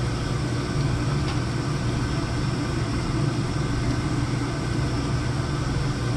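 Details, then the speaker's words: Oil burner down-fired with new 1.0 GPH 80° hollow nozzle replacing 1.25, Testo 310 readings steady: CO 0; even low roar with soft rumble, no pulsing or popping. Normal steady burn. "I think we're pretty steady. CO still 0. Very nice burn. Can't complain about that."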